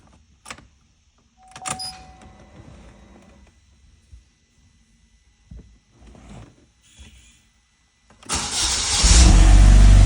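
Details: Saturn Sky / Opel GT / Pontiac Solstice after a no-crank no-start fix: a few quiet clicks, then the engine cranks briefly and fires cleanly into a strong steady run; starting normally.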